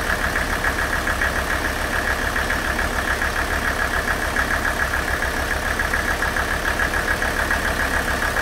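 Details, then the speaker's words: Mercedes OM617 diesel, warmed up, running Liqui Moly Diesel Purge through the injection pump; nailing noise disappeared about two minutes in: steady, even idle with a regular low pulse, no sharp nailing or clatter; engine sounds smooth and quiet, normal idle. "four and a half minutes to run 40 ounces of that diesel purge through and man i wish i could run that stuff all the time this engine sounded absolutely amazing while it was running"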